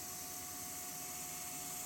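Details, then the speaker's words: LS-swapped C10, electric fuel pump hardwired to positive to pressurize a new tank and lines, gauge reaching about 57 psi: quiet steady high hum with a soft hiss, no surging or rattle; normal fuel pump operation. "i just hardwired it so go ahead and just uh put it to a positive and you can hear it kick on"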